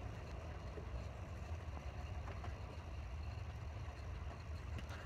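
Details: Small wind generator after a loose bolt was retightened on both sides, turning slowly in dying wind: low, steady hum with soft even whoosh, no knocks or rattles; running normally.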